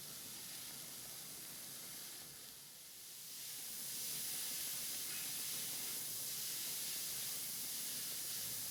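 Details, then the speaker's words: Wilesco D455 toy steam engine, boiler fully warmed to pressure on solid fuel tablets: soft steady hiss swelling then holding even as the safety valve lifts and vents steam normally. "Well, safety valve has definitely lifted a bit. Not particularly dramatic as I thought it might be, but we are venting steam now out of the safety valve."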